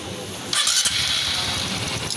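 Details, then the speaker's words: Honda RS125 FI after repair, the missing cam chain tensioner spring refitted (tensioner bolt was removed by mistake instead of drain plug at oil change): brief crank, catches within a second, steady quiet idle without rattle; normal start. "Okay na. Yung spring na wala. Nag-missing yung spring. Yun. Okay na to mga karide. Tahimik na."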